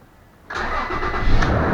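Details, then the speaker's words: 2007 Toyota Tacoma V6 first start after cylinder head job (12 intake valve seats, 2 intake valves replaced, head gaskets): fires right up into a steady, even idle with no misfire; previously idled up and down with a misfire. "Sounds really good. No misfire in it, nothing."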